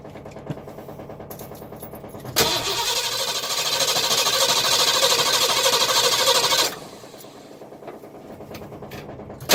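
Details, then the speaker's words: 1982 Ford 460 V8 RV engine, long unused, with all-new ignition parts: steady starter cranking about three turns a second for four seconds, never catching; no spark, owner suspects a rotor mismatched to a previously changed distributor cap. "spark okay so I've been dealing with this spark issue for a while now"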